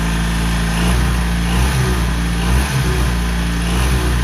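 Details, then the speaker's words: Ex-navy Chinese clone of a Suzuki micro van, small twin with points ignition, starting on a very weak battery then idling loud and even with a steady low thrum, slight waver, no misses or knocks; runs healthy. "Oh, there we go. It's running. Wow, that's the stuff. Yeah. Everything's working all right."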